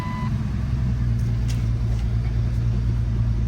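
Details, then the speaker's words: Modified Nissan 350Z at a salvage auction, accident-damaged, with oil a little overfull and dirty. Cold-start idle with a low rumble and a faint uneven skip in the beat. Misfire at idle, cause not pinned down. "Oh yeah, it's definitely got a little bit of a skip to it too."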